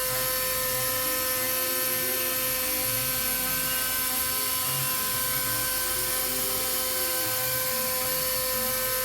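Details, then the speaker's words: Warco WM250V three-phase variable-speed lathe cutting a part: high, steady whine with rough, wavering cutting noise underneath; spindle described as on its last legs and badly worn, repair planned later. "although for those of you who follow the channel you'll know this spindle is on its last legs it's uh yeah it's pretty broken and poorly so that's a a project for the uh for the list as well"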